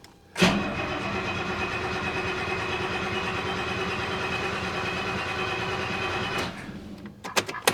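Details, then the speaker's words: 1969 Mercedes-Benz 280SE (W108) with no cold start injector wired up. The starter whirs steadily for about six seconds with no firing, so it cranks without starting. The engine did start on the fourth attempt. "We do not have a cold start injector. I don't know where the wire is for that. I've got to find it. So, hopefully she's going to start."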